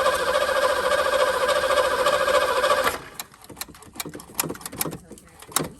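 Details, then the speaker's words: 1984 Fox Body Mustang, 40k original miles, sat 20 years: steady starter cranking about three seconds with a little valve drain noise, never fires; old fuel pump not yet picking up fuel after priming. "It's not picking up fuel yet. Hearing a little valve drain noise."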